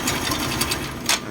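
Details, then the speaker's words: Honda MSX engine, fresh engine oil, idling with loud uneven metallic clacking: loose cam chain and worn lower and middle chain tensioner rollers; replacement advised, as continued use lets the chain strike and hole the cylinder block, leaking oil. "ตัวนี้ก็จะเป็นเสียงโซ่เราลิ้นนะครับแล้วก็พวกลูกยางกลิ้งกลิ้งโซ่ตัวล่างลูกยางกดโซ่นะครับได้ลูกยางกลิ้งโซ่ตัวกลางนะครับผมที่มันสึกหลอนนะครับผมอ่าแนะนำให้เปลี่ยนใหม่นะครับผม"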